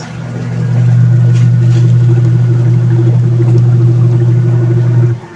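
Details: Union Lavamatic washing machine that had been noisy, after gearcase replacement, filled with water and tested: strong, steady low motor hum with an even churning beat and no grinding or knocking; agitation is healthy.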